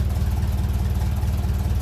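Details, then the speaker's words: 1957 Ferguson 35 TVO tractor idling just below 600 rpm while warming up, adjusting idle mixture screw: deep steady idle with a faint unevenness, a slight misfire from the mixture being off, smoothed by turning back in. "I hear a little misfire and then I bring it back in kind of nice there"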